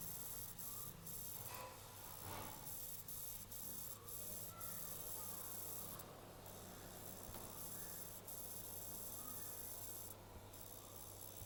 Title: Acer aspire 3 coil whine sound